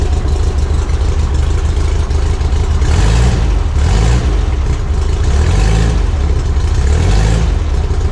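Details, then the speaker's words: Barn-find VW single cab with a newly fitted Vintage Speed stainless exhaust: a deep, even idle with clean throttle blips and no rattles or blowing, quieter than before; normal exhaust note. "good unreal there you go so that's the sound of the vintage speed exhaust that sounds nice yeah it does it's got a got another good night i think it's quieter it is quieter yeah totally it is quieter"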